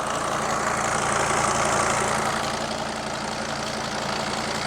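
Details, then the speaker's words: Mercedes Sprinter van with OM602 diesel, left sitting two years, started with full tank; even steady diesel clatter with smooth idle rhythm, no knocks or misses; normal diesel idle. "You can't knock these things, can you? Listen to that purr. It's my favorite engine."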